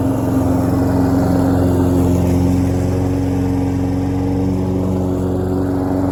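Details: Troy-Bilt self-propelled lawn mower, after a needle seat fix and months of sitting, cutting grass: steady, even engine drone holding its pitch with no bogging or surging; healthy under load.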